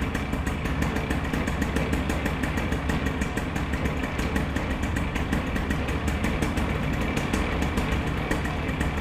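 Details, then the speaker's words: Rebuilt paramotor two-stroke engine on its first start after reassembly, following a mid-flight failure: it buzzes along at a steady even beat with no misses or surging. "It wants to start. Oh, it sounds good!"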